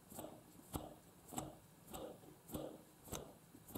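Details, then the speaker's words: Quadcopter brushless motor (Eachine 2306 1650KV or Racerstar BR2205 2300KV) spun by hand: soft, quiet whirrs about every 0.6 seconds, no grit or rasp; bearings in good shape, unlike a dust-damaged motor compared next. "pretty silent listen to this one the bearings of this one are damaged I think by dust"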